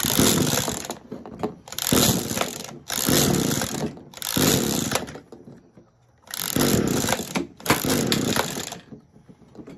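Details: Echo SRM-210 two-stroke string trimmer, hard to start, just fitted with new carburetor and new plug, fueled with premix, primed and choked: repeated rasping pull-cord strokes about every 1.3 s, no firing; no-start, later ran after old plug refitted.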